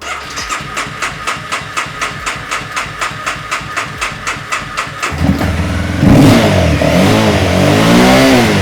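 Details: 2015 Honda CBR300R, 4,000 miles, sat almost two years, after replacing fuel pump, injector and fuel filter and cleaning tank rust, mid-grade fuel: steady even ticking idle about four pulses a second, then revs up cleanly and settles; runs healthy.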